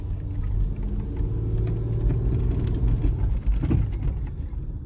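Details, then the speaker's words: 1996 Nissan Maxima while driving: steady low engine drone, even and smooth with no knocks, ticks or misses; engine picks up and goes as it should; normal running. "engine sounds fine picks up and goes as it should"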